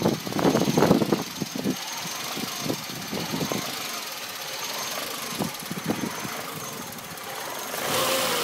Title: Peugeot 106 rough idle